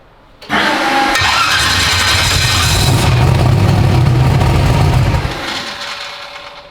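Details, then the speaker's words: 372 small-block Chevy in an original S10; the starter whirrs, it catches and roars about four seconds, then dies. Fuel smell and a wet pipe; owner suspects injector fuel pressure. Starts then stalls. "you got this thing running yet no man we we've been fighting it can't figure it out"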